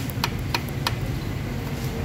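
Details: Ford Ranger at idle: sharp metallic knocks, about three a second, over low engine rumble, diagnosed as piston pin knock, loudest around cylinders four and five.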